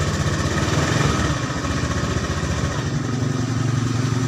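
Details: Honda Beat scooter running after jumpering the starter relay to fix a total no-power fault: small single putters at an even, steady beat with light exhaust note, no knocks; runs cleanly.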